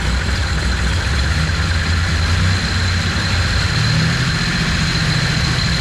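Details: Cammed turbo Ecotec engine running again after being rebuilt, with a few minor setbacks, camera shaking from GoPro: smooth even idle, steady low rumble, no knocks or misses; running like a dream.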